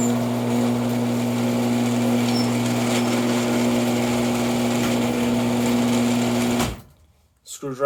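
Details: Older Genie IntelliCode screw drive garage door opener after one tube of Genie lubricant was applied as a bead along the screw track: steady, even motor hum and smooth drive drone with no squeal or chatter, much quieter than before lubrication.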